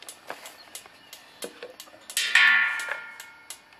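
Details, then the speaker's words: Homemade pulsejet ignition test with a new circuit, new coil, HT lead and fixed condenser; crisp snaps at roughly four per second with a brief hiss, sparking steadily and reliably; normal ignition sparking. "You can hear it sparking quite well. So, I'm pretty sure it's going to well going to pop and stuff today pretty well."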